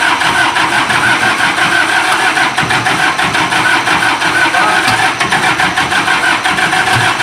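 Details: Isuzu diesel generator engine after fixing a hard-starting problem: steady, even diesel clatter at constant speed with no misses or knocks; running smoothly.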